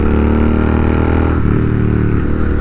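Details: Royal Enfield GT650 twin after a service that cleared a major problem: steady, even twin-cylinder drone under light throttle, no knocks or rattles over the exhaust note. Normal healthy running.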